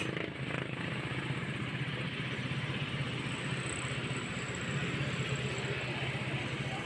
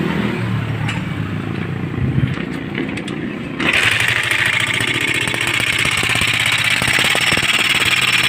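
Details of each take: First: Motorstar Star X 125 single-cylinder after repair of the very noisy engine: quick, even putter with no internal dragging or knocking as before. It runs clean, but the idle is still set a bit high. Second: Motorstar Star X 125 (Rusi 125) pushrod single-cylinder: sharp irregular clatter over the idle that remains after tuning both tappet adjusters, with the rocker arms fine. The noise is not from the head; a worn lower timing gear is suspected.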